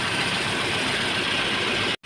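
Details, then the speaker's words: Datsun Redigo 800cc, 49,401 km, just after engine overhaul (head gasket) for overheating that spat coolant at 94°C, no check-engine light; steady, even idle with a soft smooth hum and no knocks, ticks or rattles, healthy and quiet. "Engine एकदम शांत है भाई, देख रहे हो, एकदम बढ़िया। Sound सुनो यार, जो मज़ा आ रहा है ना साउंड का, हाय हाय।"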